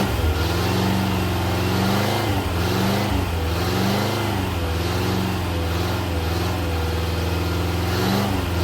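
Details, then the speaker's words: Rebuilt classic Rover P6 V8 (bent rod rebuild) on engine dyno, heard from outside, quick pull from 2,000 to 4,900 rpm: smooth, even V8 drone rising and falling with load, no knocks or rattles; normal healthy running. "we're going to do a quick run from 2,000 RPM to 4,900 just so you can see it and hear it from out here"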